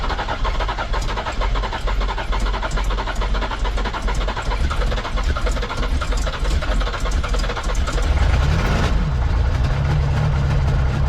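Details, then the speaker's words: Ford 7.3 IDI diesel in U-Haul ramp truck after injection pump turned up and new fuel system, restarted: even diesel clatter at steady idle, one brief rise in speed near end; running smoothly on its own, ether only needed initially. "Ah, beautiful. And once it's going, it doesn't need no ether. Just initially."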